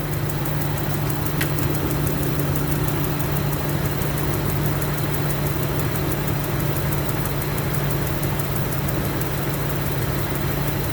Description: this video is of my range rover 2008 with 169k miles... where there there is a noticable ticking noise upon cold start...